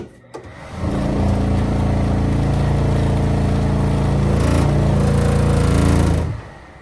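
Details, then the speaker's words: Vent-A-Hood K250HSS2 range hood after a cardboard shim and reattaching the loose blower cage. Steady fan hum with a low buzz, as one corner still vibrates. Noise stops when the housing is held tight, and the small welded pieces make it unrepairable. "I still got a little bit of vibration because of that corner but if I hold it tight you will not get any"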